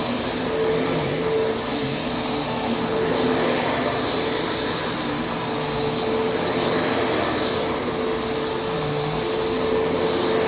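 Smooth, constant motor roar with a steady whistle on top, no grinding or pulsing; a healthy vacuum running normally.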